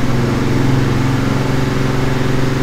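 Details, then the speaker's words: Engine on dyno during break-in, near thermostat temperature, held at steady RPM against 140 ft-lb load: deep steady V8 drone, no knocks or misses, healthy engine working under load. "so we're just giving it some loow you hear it working like that right and we just gave it 140 ftlb to work against"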